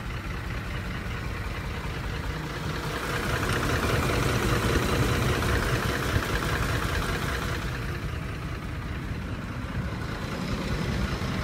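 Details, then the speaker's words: 2004 Ford F-150 5.4L 3-valve V8 with a bad cam phaser knock at idle, audible outside the vehicle and worse on the passenger side: a dull, repeating knock over the rumble. "okay so this right here is a phasor knock you'll be able to hear at your real weld this one's pretty bad so I can hear outside the vehicle also take a listen"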